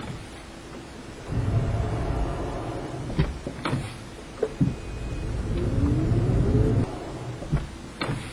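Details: Toyota Prius clunking when accelerating: low drone swells as the car picks up, with several single dull knocks dropping in irregularly under load; clunk of unknown origin.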